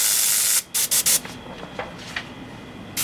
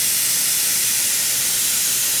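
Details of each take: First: Airbrush at high air pressure with paint too thick: steady hiss breaks into choppy, intermittent stuttering bursts when paint is pulled, and paint barely comes out; sputtering from overly viscous paint. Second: Airbrush spraying air only with no paint drawn: smooth, even high hiss with no sputter or pulsing; normal airflow.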